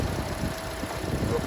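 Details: 2011–2016 Hyundai Elantra after alternator replacement, battery reconnected, started: even steady idle with no knocks or stumble; belt squeaked briefly at start, alternator charging correctly.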